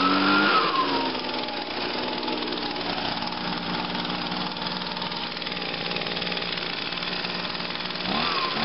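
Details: 2009 Echo PB 251 two-stroke blower on a cold start, with choke on and five primes. A high revving buzz drops quickly to a steady, even drone with no surging or stumbling, which means normal running.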